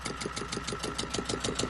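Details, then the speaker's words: Repaired Volvo Penta 2002 fresh-water-cooled diesel from a 1987 Liberty Yachts Pied Piper 28 sailboat idling at 800 rpm, not running hot: even regular clatter with no misses; normal idle. "800 RPM so that's good I'm doing good the Pop's water good not running hot at all"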